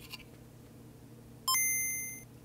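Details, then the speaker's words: Game Boy Color after capacitor replacement for dead audio, recorded with a lapel microphone: crisp, bright, loud startup chime fading smoothly with no crackle or dropout; normal audio output. "so one more time just so you guys can hear it here's my little laugh microphone so you can hear just how loud it is"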